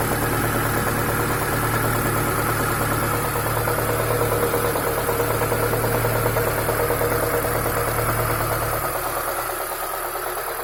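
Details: ZAZ Chance 1.3 at idle: regular knock about three times a second over the engine, fading slightly near the end; engine knock, source unconfirmed.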